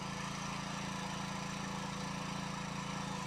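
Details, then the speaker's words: Kawasaki 9hp single-cylinder engine after replacing a cracked (new) spark plug, carburettor gaskets redone: steady even thump near 170 beats a minute, no misses; holds idle, accelerates, starts on choke; running normally. "C'est le top, il fonctionne. Il tient le ralenti, il accélère, il démarre au starter. Il est nickel."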